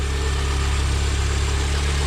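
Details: Mini Cooper R50 started after a full oil service, with a couple of minutes left for the oil to settle first: smooth, even low idle with a steady hum and no knocks, ticks or misses; running healthy, being checked for leaks.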